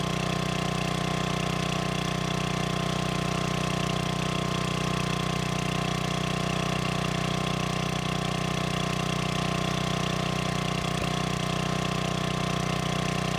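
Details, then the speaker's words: Old free generator, long unused, after adding gas and freeing stuck governor: steady, even hum at one constant speed, no hunting or surging; voltage output in proper range; normal governed idle. "it turns out not not too much of a Revival will it start all I had to do is put gas in it um fix a stuck Governor"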